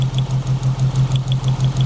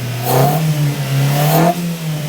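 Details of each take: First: 1995 Mitsubishi Libero, 4G15 engine, running with test light on the plug lead: low, lumpy idle with a pulsing beat and sharp ticks each cycle. Spark barely jumps from the distributor, a weak spark causing the customer's loss of power while driving. Plugs, cap and wires were already replaced. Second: 1995 Mitsubishi Libero 4G15 with a faulty distributor coil (causing weak spark and loss of power): a few quick throttle blips rise and settle cleanly with no stumble or misfire. The test-light spark check shows the distributor working properly.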